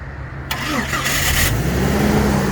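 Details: 1996 Jeep Cherokee XJ Sport, 199,000 miles, key spinning freely from broken ignition lock cylinder tab, started by manually closing the starter relay with a punch; short crank, fires within about a second, then idles steadily; normal start.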